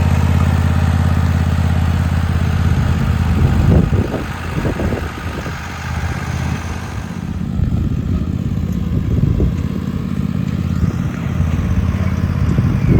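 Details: Husqvarna GT 54CS garden tractor after maintenance (plugs, filters, 10W30 oil), being driven: steady low drone with even firing and some load changes, no knocks or misses; normal running before later no-start.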